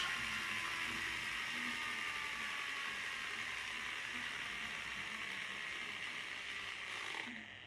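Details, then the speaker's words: Air Hogs Wind Flyer supercapacitor-powered model plane motor: a high buzzing motor with a fast clicking rattle about three or four times a second. The gear seemed fixed after resoldering a wire but has come loose again and is ratcheting. "that sounds like it's just come off it sounds like it was fixed and it's gone loose"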